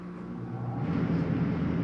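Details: 2019 Forest River Salem 36BHDS travel trailer roof air conditioner set to cool and turned up: steady low rumbling hum with airflow building and holding even; running normally.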